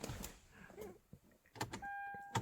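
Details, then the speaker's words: 2012 Hyundai Genesis sunroof: thin steady electric whir, no engaging clunks; motor gear teeth stripped, so the motor just spins in place. "yeah yeah you hear that noise the teeth is stripped out and it's just the motor's just spinning in that spot"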